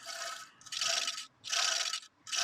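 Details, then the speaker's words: Removed alternator from a Ford Mondeo Mk3 2.0 Duratec that developed a whining noise while driving, pulley spun by hand: three short, harsh gritty scraping bursts; alternator bearing worn out and completely done. "that's well and truly uh done"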